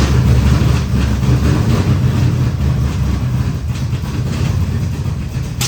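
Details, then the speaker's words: Newly installed V8 in a Camaro: loud, heavy, uneven lumpy rumble at idle after timing adjustment from 30 toward 20 degrees and a backfire; ran better then rough, firing order or distributor 180 out suspected, not confirmed. "started running better and then it started running roughly."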